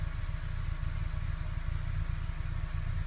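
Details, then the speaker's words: Petrol car after misfire repair (codes P0300/P0301/P0302 left as pending): a smooth steady idle with a low rumble and no rpm variation, stumbles or misfiring. "Entonces nosotros vamos a prender el vehículo y vemos que el auto ya no tiene esa variación en las revoluciones, ni se escucha que está fallando."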